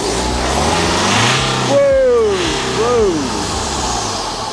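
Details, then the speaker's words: BMW 3 Series E90 320d diesel just after a DIY turbo replacement, stationary: two clean rev blips rising and falling over steady idle, loud, no rattle or flutter; new turbo sounds healthy. "that's loud that sounds sweet that sounds really good"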